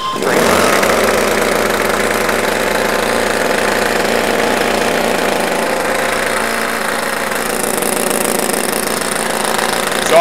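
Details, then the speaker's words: Twin two-stroke hybrid drone generator in very cold winter, propeller and fans cooling it, after choke adjustment: fast, even buzz with fan rush, no misses or knocks; generator taking more electrical load from batteries as throttle increases. "now we're generating some current from the generator and we've actually lowered the amount of current that's coming from the batteries as I increase the throttle you'll see that the upper will begin to carry more of the load"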